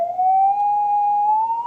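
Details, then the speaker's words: Stern wooden tape recorder during speed adjustment: 1 kHz test tone sits high and rises to about 1.2 kHz as the speed screw is turned the other way (about 600 Hz at slowest); tape transport running too fast before setting to 1 kHz. "the other way you can hear it's very much faster it's at one point two kilohertz now"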